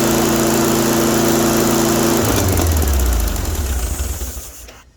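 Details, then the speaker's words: 1974 VW Baja, air-cooled engine, after a new universal fuel filter, battery hooked up and a little gas poured into the carburetor bowl: it chugs evenly about two seconds then winds down, running only briefly; some gas was apparently still in the tank. "I guess it runs. Well, I guess that answers that question. It starts now."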